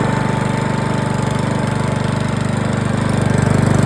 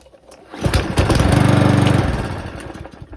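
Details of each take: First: 2007 Parkside mower, reassembled with air filter off, now lifting fuel: even, steady single-cylinder buzz that swells briefly near four seconds, then cuts cleanly to silence; runs normally, worth repairing. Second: 2007 Parkside mower, dry fuel tank, air filter off, primed with petrol poured down the intake: it fires about a second and a half on the pull, then sputters and dies; fuel starvation suspected, carburetor cleaned next.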